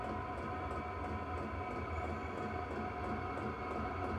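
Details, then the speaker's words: Chinese 12 V diesel air heater in a woodshop on a metal table, exhaust piped out a window. Constant even fan-and-burner roar with a steady hum, no surging, popping or rattles. Normal running. "probably hear it running I put it on this little table here it's it's all metal so I'm glad about that"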